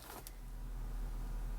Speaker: Engine codes disappeared. EPC lights gone. Engine looks like it's running fine.